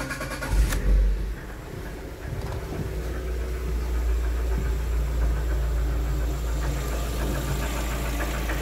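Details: Lada Xray 1.6 (VAZ 21129) engine starts and idles with a faint, uneven tapping over a low rumble. Engine knock is present, source not identified, and the owner is asking how dangerous it is.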